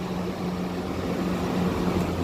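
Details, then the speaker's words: Evaporative cooler fan motor after wiring, stepped through speeds 1, 2 and 3 on its control: steady constant-pitch hum with a soft airy rush and no rattle or scrape; the fan motor runs fine. "Ó, vou botar aqui na velocidade 1. Ó, já ligou, ó. Velocidade 1. Aí eu vou botar na velocidade 3, ó, na velocidade 2, na verdade, né? Ó, velocidade 2. Velocidade 3 agora."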